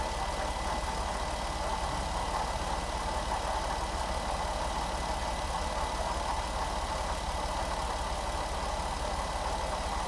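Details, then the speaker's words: 2011 Jeep Wrangler JKU 3.8L V6 idling after alternator replacement (charging 14.1–14.2 V): uneven ticking rattle and faint whine from front accessories persist unchanged; owner suspects water pump next. "Well, unfortunately, the engine noise is not really any different at all. It's still making the noises I was trying to get rid of"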